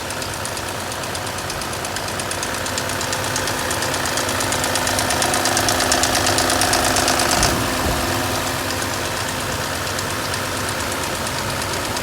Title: Abnormal noise from Valve lashes